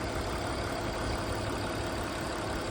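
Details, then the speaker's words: 2001 BMW E46 325i wagon, 250k miles, inline-six after cooling-system repairs, driven without problems; smooth, even idle with a steady low hum and no knocks, ticks or hiss; no oil or exhaust leaks, running as it should. "But for the most part, everything's quiet, nothing's leaking."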